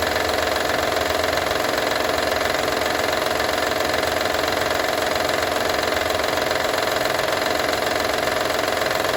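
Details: Honda Odyssey 2012 at even idle: a fast, regular metallic rattle, nearly four ticks a second, throughout; owner asks what needs fixing, engine rattle at idle of unclear origin.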